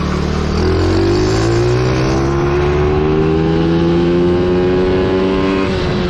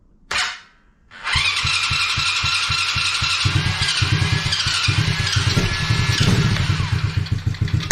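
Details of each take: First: Coolster 110cc quad that sat two years, on a test ride after a warm-up: the throttle stuck open and the engine races, climbing steadily without backing off. A loose, improperly screwed-on part is found; the owner hopes nothing got sucked into the engine. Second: Coolster 110cc quad after sitting two years, first start after fuel and air filter refitted: quick catch after short crank, then steady single-cylinder putter at even idle with small blips, runs without choke while warming; normal running.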